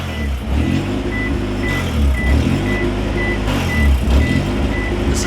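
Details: Honda B-series BAWD Civic wagon on restart after vacuum-leak work, aiming for 1700 rpm high idle: uneven idle, low rumble swelling and sagging every second or two under a steady chime; later replacing ECT sensor and thermostat.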